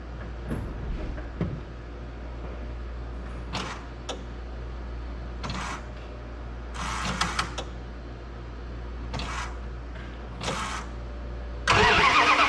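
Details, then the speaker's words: 1991 Dodge W150 on its first start in about 10 years after a new in-tank fuel pump and broken fuel line repair; several uneven cranking bursts over a low hum, then the engine catches with a loud roar. "i'm gonna go ahead set you up where you can see this thing cranking and try to fire it up"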